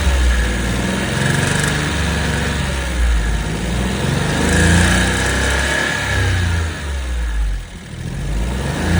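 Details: Suzuki Jimny JB64 engine revving up and down with an uneven knock riding under the note, louder on throttle. Abnormal internal engine noise, cause unclear; the engine was later replaced.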